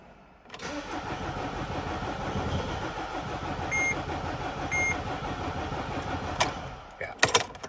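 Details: 2009 Mercedes Sprinter 313 CDI diesel: starter cranks evenly about six seconds without catching, then clicks; long-standing hard start, fault code shows crankshaft position sensor open circuit.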